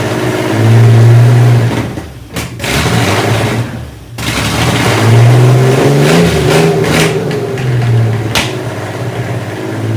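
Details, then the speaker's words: Fake 1980s Aston Martin replica ("Bullet") kit car engine first running after carb linkages were cleaned of gumming; deep lumpy burble surging and dropping with throttle blips, then settling, runs and revs cleanly, sounds like a monster; no cooling set up, so only a brief run. "Oh, hey! Bloody hell. Sounds like a monster."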